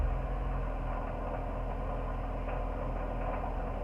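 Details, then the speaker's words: Honda S2000 petrol four-cylinder at idle before timing chain tensioner replacement: faint, irregular metallic rattle over the low engine hum, first mistaken for rod knock; owner suspects the tensioner, fades when revved. "i've been hearing this rattling noise from coming from my engine at first it sounds like i blew my engine and it sounds like i have a raw knock"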